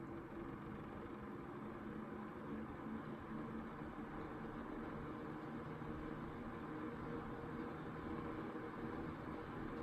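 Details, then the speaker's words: 1992 Super 8-inch box fan, model BF1000, 120VAC 30W three-speed shaded-pole C-frame motor, after cleanup and motor servicing, running on low: faint startup sound, soft steady hum with airy rush, no ticking or wobble; normal. "here it is on low it's got a very faint startup sound"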